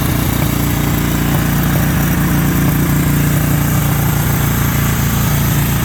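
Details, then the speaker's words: 1963 Honda CB77 305 Super Hawk twin, started cold after reconnecting a spark plug that had left it firing on one cylinder: a steady, even idle on both cylinders with no misses or knocks, so normal idle. "okay i gotta say this thing runs pretty good"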